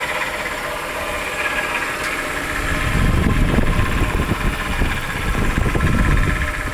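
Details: 2001 Chrysler 300M with a used replacement engine fitted about three years ago, rattling at idle ever since: a loose, uneven rattle of three or four taps a second, located by stethoscope at the right timing cover, or by ear near the right-bank valve train.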